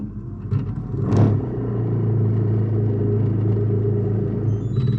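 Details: Kenwood KFF2DS14 fridge freezer: a loud low grating buzz with excessive vibration from the freezer compartment fan motor (Kebaling KB-48ZWT05-1204) on a worn bearing; the fix is replacing the motor.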